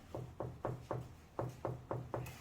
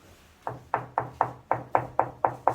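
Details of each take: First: Bianco wall tile above a raised marble ledge, tapped by hand: eight crisp firm taps, short dull thuds with no hollow ring, about four per second; solid, well-bonded tile. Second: Tile laid with adhesive not properly pressed, tapped before full cure; nine sharp taps about a quarter second apart, each with a short hollow ring, tile not solidly bonded underneath.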